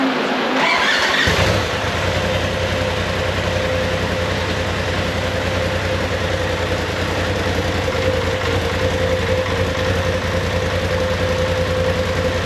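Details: 2019 Polaris XP Turbo, about 5,500 miles, engine rebuilt after a crank bearing failure: engine catches after a short crank and settles into a steady, even idle with a faint whistle; sounds healthy.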